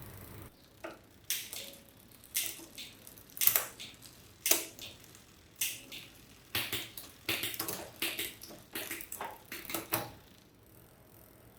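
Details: Bicycle rear derailleur after setting cable tension with the barrel adjuster and setting the limit screws, running across the cogs: crisp single clicks as gears engage, chain quiet with no rub or chatter; normal shifting.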